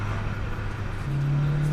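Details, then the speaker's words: Acura CSX Type S after fitting Hasport rear engine mount and Tein coilovers, driving: engine climbs into a deep steady cabin drone booming harder at higher rpm; stiff rear mount transmits heavy vibration, idle normal. "up around those higher rpms it does vibrate a lot and yeah it has a variant you can almost like hear the vibrations it's a really weird really weird feeling and sound"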